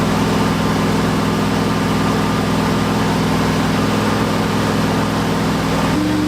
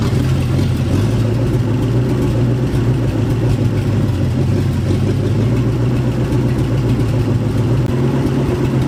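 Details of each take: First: Turbo Ford F100 360 FE V8 during cam break-in; loud lumpy rough idle with uneven pulses, hard to start and timing impossible to set; timing chain later thought to have jumped, retarding timing, pistons likely hit valves. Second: Turbo 360 FE Ford F100 during cam break-in, after the spark plug wires were redone to the correct firing order for the counterclockwise-rotating distributor: steady, even low rumble at idle with a couple of clean throttle blips; engine sounds smooth.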